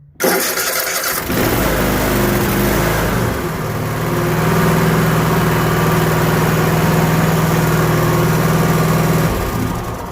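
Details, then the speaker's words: 2017 Cub Cadet 7000 series 24 hp zero-turn, 54-inch deck, cold start after adjusting the throttle/choke cable so the choke plate fully closes: starter whirs briefly, engine catches at once, settles into steady idle, no smoke. "so this is a cold start just one of the show that it starts up perfectly now that the cable is adjusted"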